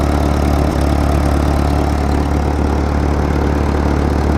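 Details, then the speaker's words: 1943 Ford 9N backhoe tractor, old four-cylinder with several block cracks; heavy, uneven low chugging beat with lumpy dull exhaust note, runs but needs help, rough running. "uh she runs not going to say she runs well she needs some help"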